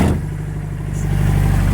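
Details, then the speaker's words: Engine with pistons hammered on with excessive force, cold idle with the twin-plate clutch out: loud rapid bottom-end clatter that quiets after about 5 minutes; owner suspects tight wrist-pin clearance, and piston slap remains warm near 3,000 rpm. "It gets a lot quieter actually after about 5 minutes. Things start to expand. I think maybe the pistons get a little bigger around the wrist pin and loosen up the clearance and let it move a little better."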